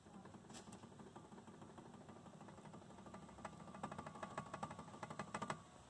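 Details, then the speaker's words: Chevrolet Cruze, Cobalt, Onix or Prisma front brake caliper: irregular metallic clicking and knocking over a low hum as the caliper assembly vibrates against the pads on worn, loose guide pins; noise stops when the brake is pressed. "barulho que vocês estão ouvindo aí é justamente a folga dos pinos aqui, tá? E esse conjunto todo aqui fica balançando, batendo nas pastilhas de freio, tá bom, gente?"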